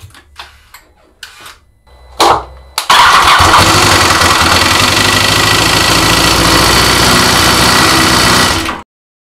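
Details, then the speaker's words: 2016 BMW S1000R motorcycle, 69K km (40K miles), after sudden stall with white-blue exhaust smoke: faint clicks, then engine fires and idles with loud, harsh metallic rattle; coolant reservoir nearly empty; cause still unknown. "There was white blue smoke coming from the exhaust and a terribly rattle in the engine. So, at this moment, I don't know what exactly is wrong with the engine, but I have to find out."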